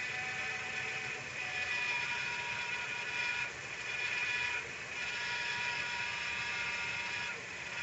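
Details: 2012 Nissan Sentra at idle with the accessory belt removed: an even high-pitched whine and hiss from the crankshaft pulley at the front of the engine persists. Owner asks what is causing it.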